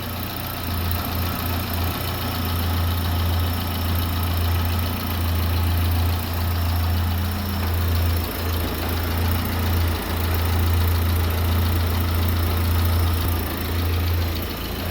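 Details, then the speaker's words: Daewoo Nexia petrol engine after repair, cylinder head refitted, antifreeze added, fuel return line connected; steady even low idle, smooth unbroken hum, no top-end knock; earlier camshaft-like knock came from faulty Chinese valve guide letting valve wobble; normal idle. "Xudo xolasa yarim kaltga yurdi. Ovozga ahamiyat berasizlar."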